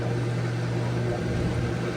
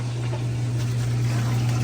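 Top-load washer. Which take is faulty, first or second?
first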